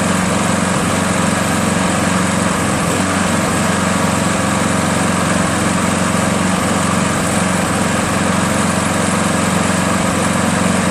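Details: Craftsman 7HP green self-propelled lawn mower, long hard to start despite lapped valves, checked keyway and carb cleanings; after about an ounce of Seafoam in the fuel, steady even drone, no surging or stumbling, holds speed; runs properly.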